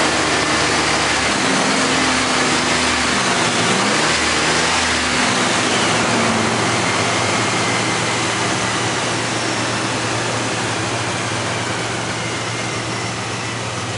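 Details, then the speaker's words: Car engine just restarted after throttle body cleaning: revs rise and fall, then settle into an uneven, lumpy idle; cleaner chemical is flooding the spark plugs, causing rough running that clears afterward. "it actually doesn't want to crank because it's right over flooding the uh spark plugs with the chemicals"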